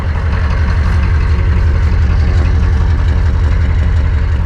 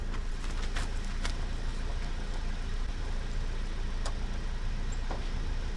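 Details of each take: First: 1988 Chevy 2500 with 6.2 diesel, aftermarket Banks turbo, over 400,000 miles, just revived; steady low idle, barely smoking, with an even light tick about twice a second, normal diesel injector clatter. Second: 1988 Chevy 2500 with 6.2 diesel, Banks turbo kit, over 400,000 miles, long parked, jump-started and fed starting fluid: starter churns steadily but engine never fires.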